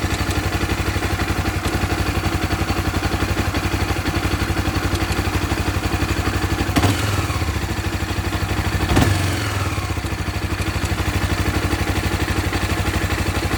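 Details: 2014 Honda CB 300R at idle: small single with a steady, fast, light clatter over the firing beat, about four ticks a second; owner says it is cam chain noise that recently began.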